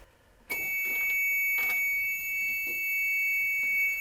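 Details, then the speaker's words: EZ-Rider transit bus with reprogrammed ECM, now six speeds enabled, shifted into drive; shrill, steady high tone from the low air pressure warning buzzer. "I do apologize for the loud squealing noise that's just the warning buzzers for the air pressure"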